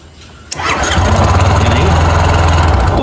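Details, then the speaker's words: Yamaha Fazer motorcycle that wouldn't start on the button despite three relay replacements: with the starter relay grounded directly, it cranks sharply, catches at once and settles to a steady, slightly lumpy idle. Start button ground circuit fails; clean the switch with contact cleaner. "Porque eu joguei o o negativo para cá, o terra que era para vir do botão."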